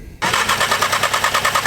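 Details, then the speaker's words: Audi S3 (EA888) with a Stone valvetronic catback and eBay downpipe, after fuel line and water pump work: starter turns the engine with quick, even compression pulses, about eight a second, but it never fires. Cranks without starting, no spark; cause unconfirmed. "should be a return though yeah here's the fuel return okay why is it not starting"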